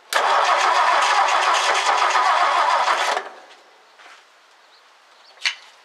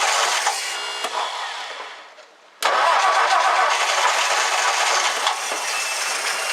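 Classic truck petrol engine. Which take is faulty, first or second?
first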